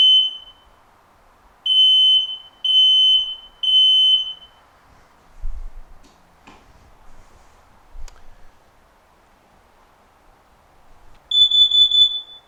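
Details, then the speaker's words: Activated smoke alarm sounding three shrill high consecutive beeps, pause, three more, repeating; followed by carbon monoxide alarm's four faster beeps pattern; smoke alarm activation pattern. "an activated smoke alarm will make three consecutive beeps a pause then three more consecutive beeps repeating this pattern"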